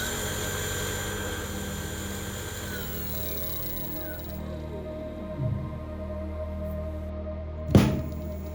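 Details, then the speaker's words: Brushless motor converted from an old car alternator, run by a brushless controller on 55 V from a 0–60 V supply, with the potentiometer at maximum speed. A steady, even hum with clean constant tones and no knocks; it runs smoothly and quietly. "Khi chúng ta di chuyển chiết áp, động cơ bắt đầu tăng tốc. Chúng tôi đã đạt đến tốc độ động cơ tối đa."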